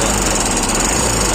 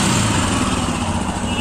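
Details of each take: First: Royal Enfield Himalayan running with a fast, steady metallic clatter that never eases off; the timing chain tensioner has failed, its lock no longer holding and it pushes in, letting the chain slap; tensioner to be replaced. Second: Royal Enfield Himalayan after replacing the faulty timing chain tensioner (adjuster) whose lock system had failed: a smooth, even single-cylinder thump at steady idle with no chain rattle or ticking, so the engine sounds healthy.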